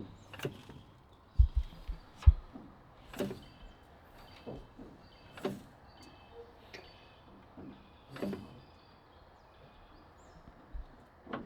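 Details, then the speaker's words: SU-100 tank with weak left steering: as the tiller is worked, irregular heavy low thumps about once a second come from inside the steering drum, where the cone pushes back; the cone is suspected to cause the clunk. "Can you hear it where it's banging? Yeah, it's in the back of. Yeah, it's in the drum itself. When it pushes back on this cone. Yep. It's that cone that's making that clunking sound."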